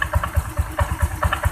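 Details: Honda Vario 125 scooter idling, throttle closed: steady knocking clack about five times a second from the front of the CVT, which stops when the throttle is opened; front pulley to be opened.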